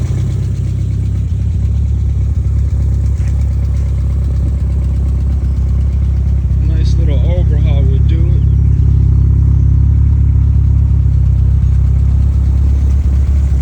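A steady low idle with a faint, loose knock running through it; the engine is knocking, but the cause isn't clear from this.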